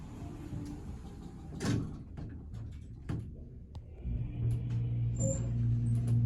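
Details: New Excel hydraulic service elevator (replacing 29-year-old Dover), new hydraulic motor, recorded in cab: door thumps then low steady hum builds, smooth with no knocks or whine; normal hydraulic elevator motor running.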